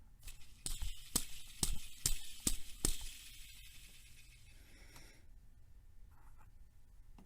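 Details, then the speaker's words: Honda J-series V6 timing belt job, idler pulley removed and spun by hand: dry gritty rattle that fades as it coasts down; bearings are worn out, pulley replaced along with the water pump. "the bearings are shot in that shot so you definitely want to replace this"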